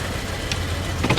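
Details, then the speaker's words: Nissan Juke idling with a misfire on cylinder 2: low rumble broken by uneven puffing bursts. Spark plugs and wires are about to be replaced. The previous owner claimed they were already replaced, but there are no signs of tampering. Cause not confirmed. "Hear that misfire? It's puffing along. Huh? I was just saying it's puffing right along."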